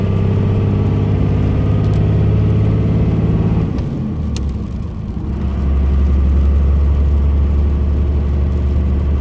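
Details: Manual six-speed 5.9 Cummins diesel, 2002 Dodge Ram 2500 4x4, 113k miles, accelerating uphill: deep drone pulls strongly, dips briefly at a gear change, then settles to a steady even note; normal acceleration, healthy engine and gearbox.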